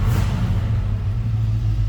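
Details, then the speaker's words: 1970 Chevrolet C10 stepside with rebuilt 350 V8, shortly after a cold start, oil pressure up: deep, steady V8 idle rumble, even and unbroken, no ticking or knock; normal idle. "sounding truck."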